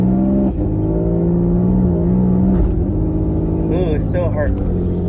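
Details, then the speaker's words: Infiniti G37 with a previously faulty torque converter, with the owner also suspecting the fuel sending unit or pump, driving with a bad exhaust leak: the engine note drops abruptly with a thump at each upshift. The automatic shifts very hard, and the owner is unsure whether it needs a new torque converter. "Still shifting really hard. I think I don't know if it needs a new torque converter or not."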